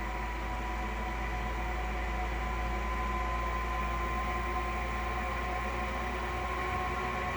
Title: Grundfos SCALA 2 knocking sound